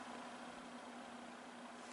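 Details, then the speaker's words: Junkyard Torcan box fan on low speed: soft, steady rush of air with a faint low hum, even throughout; strong gentle breeze with little noise, running smoothly. "Blasting in a bunch of air, but not making lots of noise doing it."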